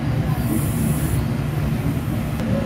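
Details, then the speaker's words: Electric fan after repair and capacitor rewiring, test run: low, steady hum holding even on low speed with no scraping or buzzing; fan motor runs normally. "capacitor test muna testing muna natin kung nagana ba talaga nagana siya number one"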